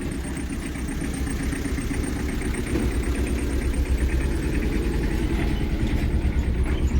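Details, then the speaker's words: Hyundai i20 after fixing an open injector circuit that caused knocking, misfire, vibration and no pickup: revs drop by themselves to an even, steady low idle, no knocking; normal idle. "इजन sound buckle सही हो अपने आप slow हो र है engine अपने idol RPM प आ"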